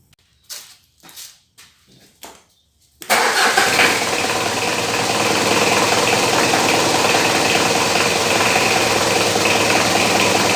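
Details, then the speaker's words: Diesel started and idling: loud, steady high-pitched squeal from an aged fan belt, quieted by lubricating the belt. "jadi Suaranya berisik banget ya untuk bagian fan belt-nya ini ya"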